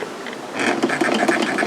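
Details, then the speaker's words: Sewing machine with a direct-connection foot pedal revving up to high speed. Needle chatter climbs into a fast, even buzz, and the pedal must be pressed hard. It runs normally. "And the one thing that I notice mostly when using this machine is revving up. When you want to be really, really fast,"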